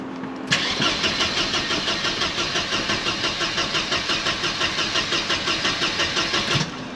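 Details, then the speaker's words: Mercedes W124 220CE after a crankshaft position sensor replacement: the starter churns steadily about three beats a second for six seconds and the engine never catches. Owner suspects the ignition coils were disturbed and broken while being handled. "just made it worse now it won't start at all"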